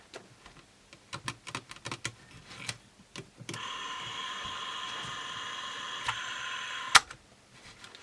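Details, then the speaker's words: 1969-era Olympus Zuiko Pearlcorder microcassette recorder with tape in, capstan running: light irregular ticks and clunks, then steady gritty high scraping from the mechanism; owner doubts the small drive motor. Scraping mechanism noise. "Listen to it. That's not real happy. Something's clunking. I don't know if that little motor's so good anymore. Something's really scraping."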